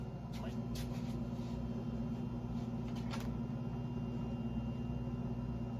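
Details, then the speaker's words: Three-cylinder 1100 engine, warm with the head at 186, starter now grounded directly: a steady, even drone with no stumbling; suspected earlier causes were bad gas, too much oil, assembly lube and slow cranking. "so it might have been a combination of things i think bad gas too much oil a lot of assembly lube uh the starter turning this engine a little bit slow"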